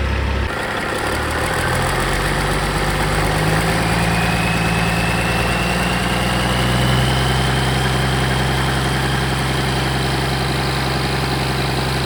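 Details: Caterpillar 3406E haul-truck diesel, rebuilt and re-engineered for a different application, first shop-floor test start after fuel priming with zero active codes: cranks, catches within a second, settles to a steady deep idle with a rising whine, running evenly.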